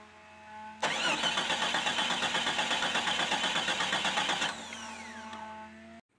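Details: 1990s Jeep Cherokee starter cranks steadily, about two and a half pulses a second, for nearly four seconds without catching; spark test showed weak orange spark, blamed on a cracked ignition coil, before coil replacement.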